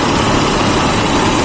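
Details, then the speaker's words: Car radiator extra fan after replacing the motor (dinamo) and the fan blade: even, smooth rushing air with a steady motor hum over the idle, no scraping or rattle. The fan runs normally. "Oke kita hp-nya sudah mencapai kembali dan turut normal sekarang suaranya halus ya"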